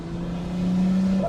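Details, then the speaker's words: Lexus IS200 wagon, turbocharged, after engine swap with lightweight flywheel and new clutch, warmed up, climbing a steep hill in 3rd gear: steady climbing drone with no tick, the tick having come from the lambda sensor; normal running, no ticking. "There's no more of the tick-tick, so that's good. It really was coming from the lambda sensor."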